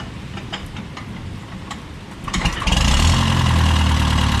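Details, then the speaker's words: Case VAC tractor after new water pump and serpentine belt for overheating after a coolant change, fuel on, choke out: catches after a couple of seconds of cranking and settles into a steady, even idle, rain behind; normal idle. "well we're all set to get this thing started up and see if we're uh in the business of tractor ride"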